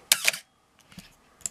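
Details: Canon AE-1 Program 35mm SLR with FD 50mm f/1.8 lens, fired during a pre-sale check. Sharp double clack of mirror and shutter with a faint high squeak trailing: shutter squeal, the "Canon cough"; camera otherwise works.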